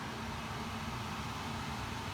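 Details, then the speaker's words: Steady, loud rushing whoosh over a low hum from an existing HVAC blower whose cabinet feeds straight into the return, a main cause of the noise, before replacement with a Trane 20 SEER zoned system. "turn right there it's really loud and so the existing unit of course course right there just feeds immediately out of the back of the cabinet right into the return and of course that's one of the main problems"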